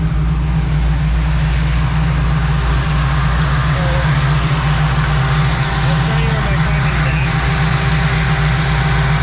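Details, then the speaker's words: 1967 Nova V8 after installing a new fuel tank with a stealth fuel pump to fix fuel starvation, timing 15-16 degrees initial: throttle rocked, deep even rumble with no misses or stumbles, crisper than before. "yeah much better much crisper and then we're going to watch it roll down from 1500"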